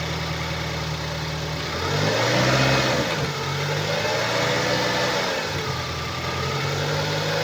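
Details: 2012 BMW 116i E81, N43B20A 2.0 L petrol, 122 PS, 119,875 km, revving: a steady rhythmic knock of about four per second rising with revs, caused by a defective crankshaft connecting rod bearing.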